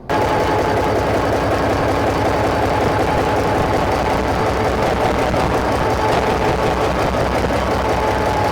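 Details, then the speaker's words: SD45-2 locomotive diesel started outside with previously stuck injectors left disconnected: heavy loud idle with uneven lumpy beats about three a second from cylinders not firing. "I have not connected up any of the injectors that we had trouble with. So what I'm going to do is I'll let it run, and then I'll walk through and pop each injector by pulling back on the linkage. And it'll be kind of noisy, so we'll see."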